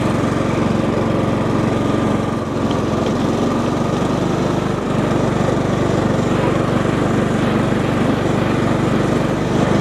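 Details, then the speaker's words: 20+ year old John Deere L110 lawn tractor, outdoors after no-start fix: steady, even engine drone at constant speed, no knocks, misses or surging; ran great with zero issues. "That tractor ran great. I had zero issues. Nothing weird was happening."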